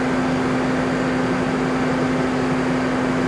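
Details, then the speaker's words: Off-highway machine engine driving hydraulics, Webtec flow meter loading valve gradually wound in from about 15 bar at 70 L/min. Steady drone as pressure rises; engine said to labor down but carries the load normally. "And as the pressure starts to increase, we start to see that movement on the XY view. You can also hear the engine starting to labor down."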